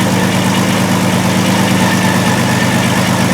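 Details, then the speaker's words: 2002 VW Jetta VR6 with injector circuit faults P0262/P0206: lumpy idle stumbling about three times a second. The misfire comes from a shorted cylinder 6 fuel injector, confirmed by scope and amp clamp; cylinder 1 also needs an injector. "right there is our injector control no big spike that means there's no magnetic field to collapse and our ambage waveform proves it that we do have a shorted"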